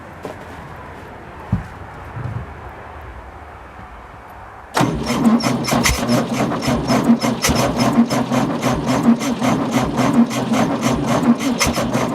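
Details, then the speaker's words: 1966 VW Beetle air-cooled flat-four on first start; catches after quiet cranking, then barks loud and raspy at uneven idle because only half the muffler/exhaust is fitted. "and it's kind of loud with only half an exhaust"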